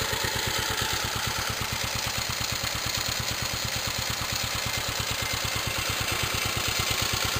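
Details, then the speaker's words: Warmed-up, restored 1946 J.A.P Model 5 single-cylinder engine sped up, set slightly fast so it settles to a good speed when loaded with a pump: crisp, evenly spaced firing with no misses or knocks. Normal. "She's warmed up now, so speed it up. Like I said, it was set to run just a little fast, so that once it's loaded, running a little pump or something, it just slows down to a good speed."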